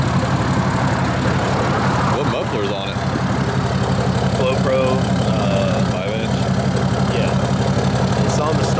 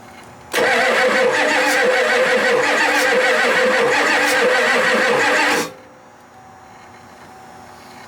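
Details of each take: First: Diesel truck with a deleted 6.7 and a Flo Pro muffler on a five-inch exhaust all the way back, idling: deep, steady, even rumble with a loud open exhaust note and no knocks or misses; healthy idle. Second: Ford F-250 7.3 non-turbo diesel that sat 10+ years; fuel supply uncertain (gauge reads full, likely faulty). About five seconds of steady, even cranking that never catches. Afterwards a burning smell and injectors leaking or spraying, possibly loose, were found.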